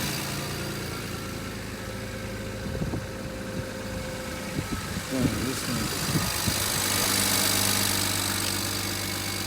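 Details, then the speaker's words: Rebuilt wrecked BMW 335i that spun a rod bearing, smoking with the check engine light on: a hard knock at idle, about three to four beats a second, over an engine that still runs. The owner plans a rebuild or engine swap. "so you hear that knock it's not oh good it's blown for sure pretty much just things kind of done I mean still runs pretty good but Knox pretty hard"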